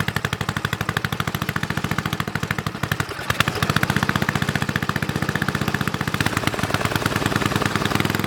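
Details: Snowflite snowblower started outdoors with fresh gas: even steady single-cylinder putter with no misses or surging; runs clean and healthy.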